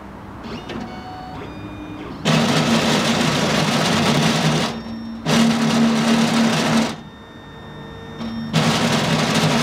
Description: The machine just grinds at certain points that are well within the cutting area.